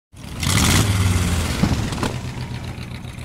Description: Think you've got a rod knocking? Wait a minute, it could be a wrist pin!